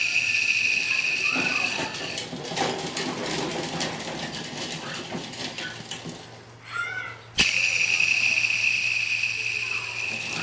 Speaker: So, if you listen to this, to me, that's no good. I would change [Music] it. It's just making to me that's too much noise.